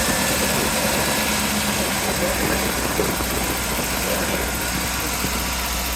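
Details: Dune buggy, an air-cooled flat-four, after the plug behind its misfire was replaced with a new spark plug. It runs steady with an even beat under outdoor noise, all four cylinders firing normally.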